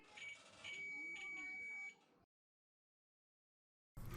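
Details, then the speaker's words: Gas dryer (Cabrio) that ran but wouldn't heat: meter gives a steady high continuity beep on the new thermal fuse, showing it is good, while the old removed fuse read nothing. "now i'll take the new fuse and check it and i have continuity"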